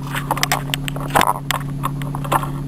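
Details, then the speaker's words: Nissan Teana J31 with VQ23 engine running at idle; light irregular tuk-tuk ticking over the idle hum, heard best from the passenger side and not locked to engine rhythm; a hardened hose tapping, not the valvetrain. The fix involves the air intake hose. "и вот такой вот небольшой звучок тук-тук-тук-тук идёт при запущенном двигателе"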